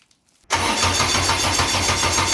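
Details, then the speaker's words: Engine fired up after a new cam belt and cam timing set to 133 inlet, 120 exhaust (exhaust previously 138), plugs refitted, before a dyno session: cranks and fires at once, settling to a steady even idle with no rattles or misfires; still runs fine. "It runs, Phil. Yeah. So as you can see, it still runs."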